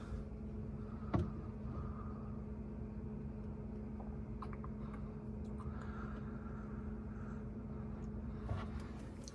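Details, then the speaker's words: Whirlpool refrigerator air damper motor (WPW10479155), noise a couple times a day, heard cycling with power off/on: steady low fridge hum with faint intermittent buzzing whir as damper moves; failing damper motor needing replacement. "when you turn off the power when you turn it off and it shows like this on the display this damper motor should be closing see now it's going to close and this makes the noise"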